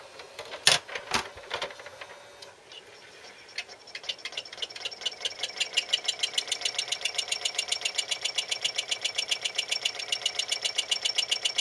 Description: My newly bought RCA SKT-400 CED-videoplayer makes quite a lot of noise.